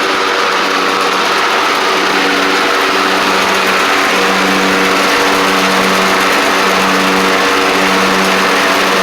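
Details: Troy-Bilt Pony riding mower with a swapped-in Briggs & Stratton flathead, driven up and down after the swap: steady, even single-cylinder buzz, no misses or knocks; runs and drives properly.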